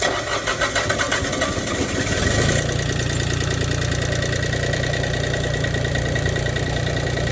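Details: Toro diesel mower tractor, air-locked after running out of fuel, after refueling and bleeding air at a 12 mm screw: cranks a couple of seconds, catches, then settles into a steady, even diesel idle with a low throb. Normal start and idle.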